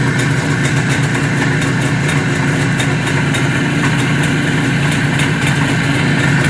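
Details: 1973 IZH Jupiter 3 350cc two-stroke motorcycle with 6-volt system, revived after years unused with points set, carb done and wiring repaired: crisp, rapid popping at a steady idle with an even rhythm, no misses; normal two-stroke idle.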